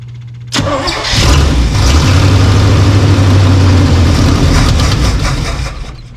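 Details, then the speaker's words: Old snow plow truck with 350 Chevy, fuel squirted into carb: starter cranks steadily about three turns a second for four seconds, no firing; owner suspects no fuel, possibly plugged carb filter, no accelerator pump. "we're not getting [Music] fuel um maybe something going on in there I think there's little filter in there yeah we're not getting fuel"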